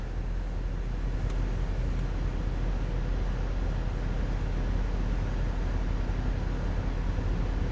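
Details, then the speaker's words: 2016 Ford Transit Connect 2.5L Duratec at idle just after spark plug replacement: fires right up, smooth, even low idle with no stumble, miss or ticking, no flashing check engine light; running cleanly. "key the ignition and okay fires right up engine idle sounds good"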